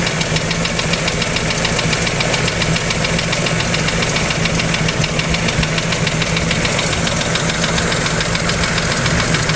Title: Toyota 2E Engine Knock